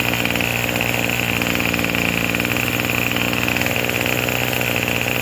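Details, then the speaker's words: Craftsman 27cc two-stroke string trimmer, made January 2013 and obtained free: a high, buzzy note holds steady at a fast idle with no surging or misses; normal idle, it sounds pretty good, though it is smoking. "Let's give it a try. sounds pretty good."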